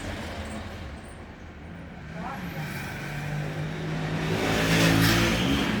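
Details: FAW XPV: the starter churns steadily at nearly three turns a second for several seconds, but the engine never catches. Extended cranking, no start.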